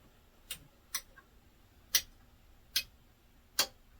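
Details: Restored and modified Dynaco SCA80 amplifier, powered with no signal after filter capacitor replacement, selector on Special: sharp isolated uneven ticks, five in about four seconds, over near-silent hiss; ticking, cause unknown.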